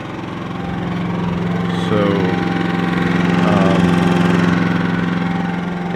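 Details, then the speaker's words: Generator powering an RV air conditioner fitted with a hard start capacitor, after running all night and cycling three or four times: steady, even drone with a firm low hum and no misses or surging under the fan load; running healthy. "it's currently running but I'll be shutting it off here in a second but I mean you can hear that's it running with the fan"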